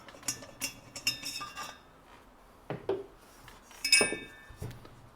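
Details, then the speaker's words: Late-1920s AGM Model 288 lantern fuel pump check valve, removed and shaken: light, loose metallic clinks in small bursts as the inner check moves freely; normal check valve rattle, known to work. "there's a our check valve and you can hear it rattling in there and I already know that it works"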